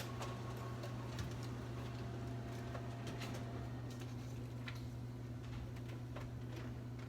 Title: HP laser Jet 600 Loud Noise